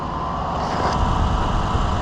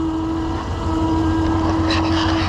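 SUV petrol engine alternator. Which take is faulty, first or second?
second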